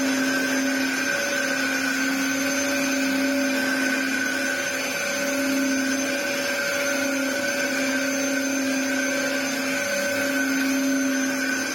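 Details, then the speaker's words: Restored Dyson DC07 Clic vacuuming a rug, with a broken clip: steady motor drone with a hollow droning whine; owner suspects a warped part, unconfirmed. "it's just a shame it sounds like a shark cylinder I mean it's this part whether it's a bit warped I don't know"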